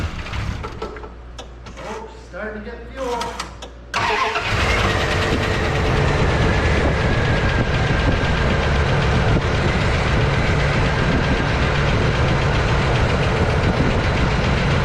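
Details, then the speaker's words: 1991 Dodge W150 pickup, first start in about 10 years after installing a new in-tank fuel pump with five gallons of fuel: cranks, catches in about four seconds, settles into a steady even idle that keeps smoothing out as it runs. "wow so there it is it runs actually pretty good the longer it's running the better it's getting so i'm assuming it's kind of working some of the nasty feel out"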